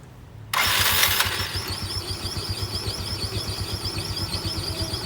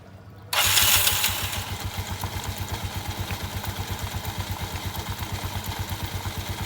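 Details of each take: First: Yamaha Mio scooter CVT before teardown: the engine catches, then a quick, steady "cip cip" chirp rides over the idle, heard as rubbing from a rubber part. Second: Yamaha Mio scooter after CVT service: starts, flares, settles to steady pulsing idle; the earlier rubbing chip-chip noise from rear CVT area, suspected rubber part, is gone; normal idle.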